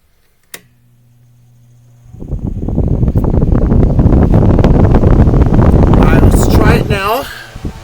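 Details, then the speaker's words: Mainstays SFC-225BR1 9-inch high velocity fan after oiling bearings, swapping defective armature and balancing the badly unbalanced blade: low motor hum then strong even air rush, no wobble or thump; barely vibrates on the workbench. "much better you still feel vibrational it's not it's not bad at all in fact if we put it on the workbench here it's barely vibrating"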